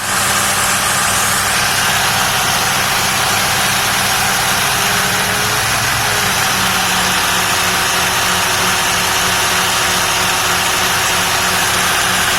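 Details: Supercharged 8V53 Detroit diesel in a 1967 Hatteras motor yacht, first start in about 3 years after new fuel filters, fuel pump, return line and raw water impellers, intake removed: steady even drone with constant blower whine, no knocks or misses; running healthy.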